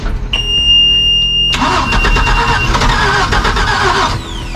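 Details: Mercruiser 4.3 in a 1996 Wellcraft Eclipse, sat 18 years and previously seized, fed gas from a bowl: starter churns steadily, almost catches a couple of times but never fires; cranks, no start.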